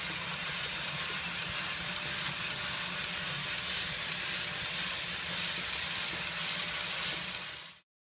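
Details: Tomy / Radio Shack DustBot toy robot after refurbishment, reassembled with a gear drive that needed extra tension to engage properly: light, even high whir with soft regular ticking, no grinding; gear train runs smooth.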